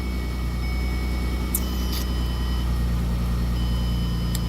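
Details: 2008 Mercury Mariner project with an intermittent no-start/key-off issue: low, steady idle hum with no misses or knocks, starts and settles into a smooth, even run; normal idle.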